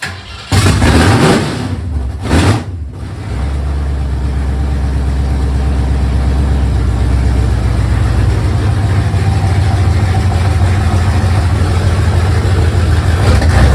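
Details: 1971 Mercury Comet V8 first start after engine repairs, new water pump and headers; cranks, catches and settles to loud lumpy steady idle through open headers, 58–60 psi oil pressure, no knocks or misses; normal cold start.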